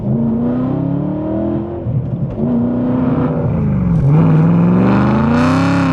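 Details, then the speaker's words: Abandoned, previously badly modified E92 BMW M3 V8, test drive heard from inside the cabin: deep booming note rising and falling through the revs, obnoxiously loud; excessive exhaust noise to be fixed next. "now it's time to make the car sound well not so obnoxious"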